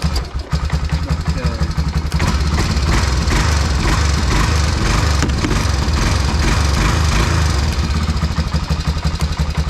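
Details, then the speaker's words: 1990 Honda Foreman FourTrax 350 ATV on a cold start: an uneven single-cylinder chugging idle with a faint light tick on top, most noticeable at first. The tick persists and its cause is unknown. "That's still ticking. So you can kind of hear that tick at first there."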